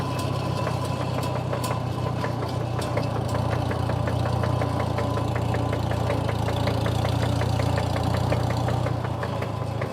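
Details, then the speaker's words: 1949 Farmall M 38 hp tractor with loader, rough idle: steady loud sharp tick about three to four per second, consistent; traced to missing/chipped gear tooth in transmission. "that's one heck of a tick going on the good news is it's pretty darn consistent and it's pretty darn loud so I think we should be able to figure out where it's coming from"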